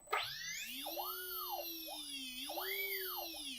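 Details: Electric RC plane motor on ESC after throttle calibration: thin whine climbs smoothly in pitch as throttle rises, eases and rises again, even and clean; motor responding normally.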